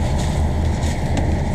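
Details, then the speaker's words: Newly installed diesel in a Morgan 41 Out Island sailboat, just after first start: steady, even low diesel throb at idle, loud in the enclosed space but no ticking or knocking; quieter than the old engine, owners may add soundproofing; a sound engine. "so far that's noisy well we may have to put some soundproofing in after all maybe I'm just not used to hearing an engine yeah the other one was louder"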